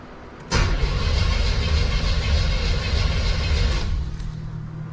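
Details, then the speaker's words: 1987 Chevrolet Monte Carlo SS after an EFI conversion: the starter cranks steadily and fast for about three seconds with an RPM signal present, but it never catches; crank no-start, though it fires if fuel is dumped into the injector unit. "So officially, the vehicle does not run under its own power. If you go ahead and you dump some fuel down the fuel injector unit itself, it fires right up."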